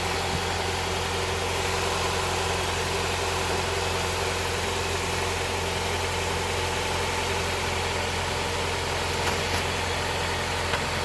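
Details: Honda Prelude SH after oil cooler/adapter gasket replacement, oil filter refitted, started to check for leaks: steady, even idle with smooth unchanging hum, no ticks, knocks or misses; no leak seen after about ten minutes.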